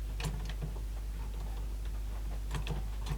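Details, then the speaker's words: Sony SLC35 Betamax video recorder on eject with a cassette inside: solenoid pulls in but the weak motor barely moves; quiet, irregular clicking and ticking like a gear catching, cause suspected not confirmed. "hit eject it does a little bit and then just stops solenoid was in at least but the motor doesn't seem to be doing much that motor is just gutless something else is making a weird"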